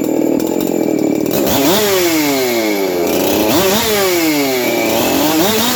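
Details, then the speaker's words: Husqvarna 372XP chainsaw bench run, untuned, with lowered roof and chamber work: revved in bursts with a gritty rattle from a noisy aftermarket clutch drum needle bearing. "you can hear how noisy that uh clutch drum is"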